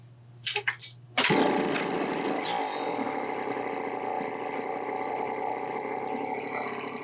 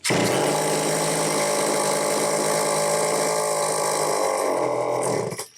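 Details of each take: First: Homelite XL-903 chainsaw after clearing three fuel restriction points and carburetor repair, restarted without throttle: steady crisp buzzing idle, no stumbling or surging, revs out good, governor working; normal idle and rev-out. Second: Homelite XL-903 chainsaw, test run after repairs: holds one flat buzzing speed with no rise or fall, no throttle response, then dies; runs only on full choke, fuel starvation, fuel filter partially out of fuel.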